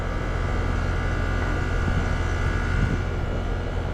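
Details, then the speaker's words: Goodman heat pump, newly replaced R-410A compressor: steady low, unchanging hum, no knocks or rattles; running smoothly. Charged 146 oz (nameplate 140), head 258, suction 150, about 3° subcooling and superheat, 78°F outside, 74°F inside. "All right, we're on 410. That compressor sounds good."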